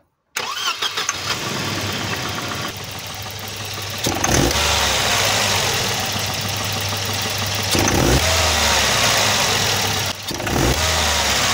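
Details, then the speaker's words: Volvo 240 with B230F redblock petrol engine pulling away: a fine, buzzy, wasp-like metallic rattle on throttle opening, worst when pulling away. Spark knock (pinging) appears caused by over-advanced timing; seized distributor later replaced. "hopefully you could hear that it's like when i first opened up the throttle there's like a a wasp when i first opened up the throttle"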